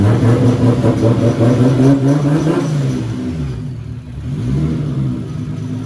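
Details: 240 with newly installed stock 1GZ engine, restarted after an initial misfire cleared (owner thinks old fuel flushed out): smooth even note climbs on a quick rev and settles back, no knocks or misses; healthy engine.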